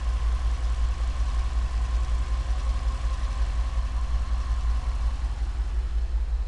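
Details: Cadillac STS idling with a low, uneven, lumpy rumble; the misfire was caused by bad piston rings.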